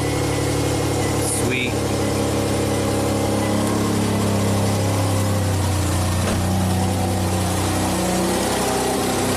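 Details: 2006 Hyundai Tucson 2.7 V6 AWD, 225k miles, intermittent stalling, restarted after filing contacts and swapping two parts around: engine settles into a steady idle with a light rev, no misses, stumbles or stalling; running normally.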